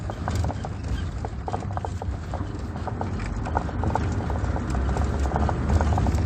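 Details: Volkswagen T4 with AJT 2.5 engine at idle: sharp irregular knocks, about three per second, over a low engine rumble; owner suspected worn engine mounts and replaced them; engine knock, cause unconfirmed.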